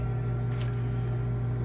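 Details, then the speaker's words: Nordyne/Frigidaire furnace, heater not turning on: only steady low blower motor hum, no burner whoosh; burner not lighting, traced to failed hot surface ignitor (part 532363) needing replacement. "The problem we're having here is the heater is not turning on, and I'm going to show you how to troubleshoot that issue."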